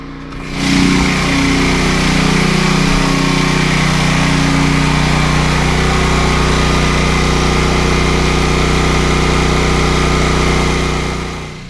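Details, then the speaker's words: Westinghouse WGen9500DF dual-fuel portable generator carrying most of the house (lights, air conditioners, water heater, pool pump, TVs, computers) but not the biggest loads. Even, steady engine drone with no surging, knocking or hunting: normal running under load. "so right now the generator is running just about everything in this house except for the big loads but it's got all the lights air conditioners water heater pool pump uh tvs computers it's about everything it's doing a great job"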